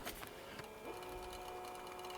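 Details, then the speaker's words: Crusty-looking Magnavox VCR with crusty pinch roller, tape playing: faint whirring transport with thin wavering squeaks and scratchy crackle; tape crunching and creasing, tape alignment suspected off. "It's peeling. It's, yeah, being mean to the tape. Yeah, that one's going to need work on it. There must be something to do with the tape alignment is off and it's creasing the tape."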